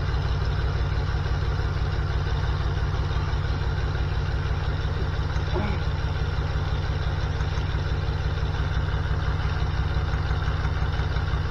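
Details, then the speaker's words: 1979 GMC C15 LS swap, P0300 misfire, plug-wire test at idle as engine gets hot: steady thump near three beats a second with lumpy uneven pulse; 5 has spark but dead, 2 firing. "In here, it's missing like a mofo. So there we go. 5 isn't hitting. It's got spark, but it's not hitting."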